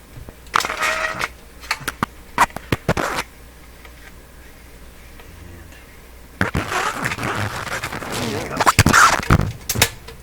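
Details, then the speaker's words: Telefunken Salzburg 5094W console record changer, underside not yet lubricated, cycling with the cartridge hanging: irregular clicks and clunks with a brief sliding scrape as the arm lifts, swings and sets down; cycling normally. "okay well it seems today operating quite well with the cartridge hanging there"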